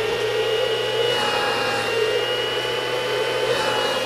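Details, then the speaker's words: Schumacher digital battery charger after replacing its cooling fan with a wrong-size fan: steady airy whir and hum, tone changing when rear intake is covered; fan pulls air across diodes, repair works. "you guys can hear the fan running right and what it's doing is it's pulling air through the back here"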